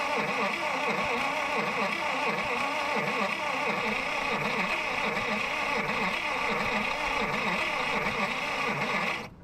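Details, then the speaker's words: Long-stored Buick Super nailhead V8, started by touching the starter wire to the battery: starter churns at about four beats a second, never fires; owner suspects no spark, nothing at the points, coil possibly bad. "I don't think I'm getting spark. They pull the cap off and look in the distributor and see if there's any spark at the points."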